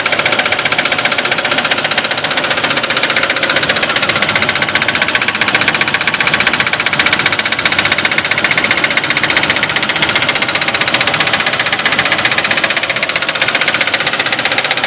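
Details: 2002 Nissan Xterra non-supercharged V6 at idle after new Bosch double platinum plugs, wires and serpentine belts: fast, steady metallic tapping, about four taps a second. Owner suspects wrong plugs or the knock sensor; not confirmed.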